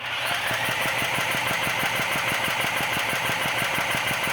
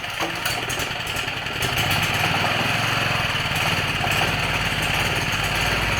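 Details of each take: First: Old Champion generator unused for years, air filter removed, engine spun with a drill, fuel, choke and switch on: turns over evenly at about three compressions a second under drill whine but never catches; likely no fuel or no spark. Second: Old Champion generator that sat for years and would not start on the electric starter, running on 3 to 5 year old gas after a pull start: steady, even single-cylinder chug at constant governed pitch, no misses or knocks; running smoothly.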